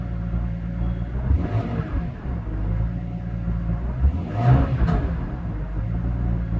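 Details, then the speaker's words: 2002 BMW E46 M3, almost 200,000 km, after replacing the TPS sensor: deep, even engine note climbing slowly through the revs with no sputter or cut-out where it used to sputter; normal revving. "You know, before it was sputtering like that at this RPM, but there's nothing. Just slowly all the way up. It's super smooth."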